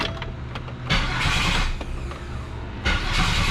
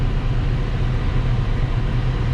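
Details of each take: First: GM Grand Prix, first start after a starter replacement: rough, harsh cranking for about three seconds, then catches and settles to a steady idle; the starter sounds atrocious but works; old starter teeth were ground, suspected play issue needing adjustment. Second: Grand Prix running again after a new starter, AC on and fuel low: deep, steady low rumble with an even beat and no misses, knocks or starter grind. Mechanically sorted; normal idle.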